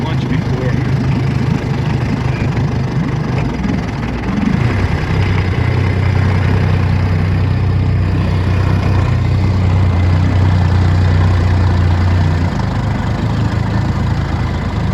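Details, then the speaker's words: 1959 Elgin 12hp West Bend outboard, earlier running on two cylinders from imbalance (it had a 16hp West Bend flywheel and mag plate); after fitting an older 12hp flywheel and mag plate it runs with a steady, even two-stroke burble, no shake or knock: normal running. "So long story short, I put a older 12 horsepower flywheel and mag plate on this, and bam, smooth as silk like they all are."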